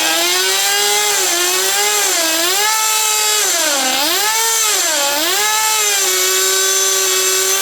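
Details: Original first-generation HPI Nitro Rush nitro RC car started after many years sitting, run about five minutes to burn off old fuel left in the tank: high buzzy two-stroke whine dipping and rising smoothly with throttle blips; clean, even, healthy. Exhaust leaks noted.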